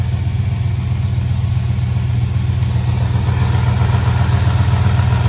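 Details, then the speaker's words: Old truck V8 from a 1976 F350, exhaust-port humps ground off for power, warming on choke and picking up: deep, steady, smooth idle with no misses, knocks or ticks; owner watching temperature gauge. Normal idle. "it's a good truck listen to it friends listen to it it's starting actually to pick up see the choke"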